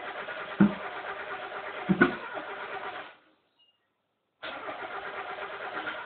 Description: miata turns over but wont fire up...